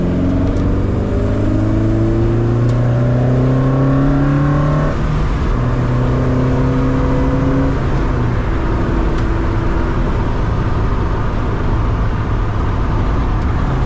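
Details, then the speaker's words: Lotus Elise on a drive after tightening the loose auxiliary belt with the correct bolt: clean pulls through the gears with rising and falling revs, no belt squeal; engine running healthy. "I hope you had as good a time as I did this is running like a peach"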